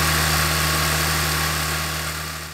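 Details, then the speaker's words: 1993 Toyota Land Cruiser FZJ80 with 1FZ-FE engine, found to have a broken timing chain guide under the valve cover; a steady, quiet, even low hum at idle with no knocks, ticks or misses. "do you guys hear how quiet this engine runs like how perfectly smooth it is huh"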